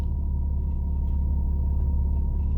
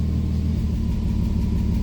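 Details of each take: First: 2001 Mitsubishi Eclipse with new upstream oxygen sensors: low, steady rumble with an even beat and no stumbles; smooth idle, no misfire, short and long term fuel trims look good. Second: 2001 Mitsubishi Eclipse at idle with injector 4 disabled after cylinder 4 misfire code and new oxygen sensors: lumpy, uneven putter instead of smooth beat, returning to normal after the test.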